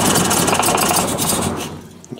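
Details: 1966 Triumph Spitfire with rebuilt 1147cc engine: uneven, stumbling idle with irregular firing and ragged exhaust beat; ran fine in March, timing checked and correct at TDC, cause not found.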